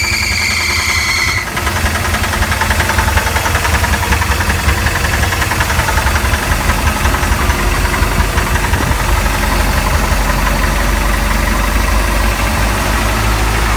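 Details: Mercruiser 3.7 marine engine at startup idle: loud steady idle with a heavy, uneven knock about two to three per second; bad bearings suspected.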